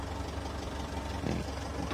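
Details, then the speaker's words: 2008 Mitsubishi Strada Triton Exceed diesel idling after fuse troubleshooting and a head unit install: a low, even clatter with a steady beat and no stumble, slightly rough as is typical for this diesel, healthy. "diesel memang seperti ini suaranya agak kasar"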